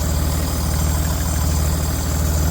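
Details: L494 Range Rover Sport at idle: steady engine rumble with a faint constant high-pitched whirring hiss, heard from underneath near the catalytic converters, more on the left side; cause unknown.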